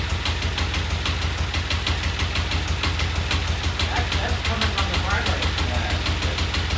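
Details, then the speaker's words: Vintage Norton twin motorcycle at idle, ignition timing just set dead on with a strobe; sharp, evenly spaced ticks about three a second over a lumpy idle; owner thinks no oil in the primary leaves the hydraulic chain adjusters not working. "I think that ticking I'm hearing is the fact that there's no oil in the primary and those hydraulic adjusters are not hydraulicing."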